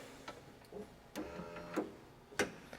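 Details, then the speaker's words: 2004 Lexus LS430 Ultra with water damage, soft-close doors; holding trunk release then relocking, crisp clicks and a sharper clunk in quiet cabin as locks throw; normal lock actuation. "if I press and hold the trunk release let's listen to the latch it's unlocked now I'm going to lock it again"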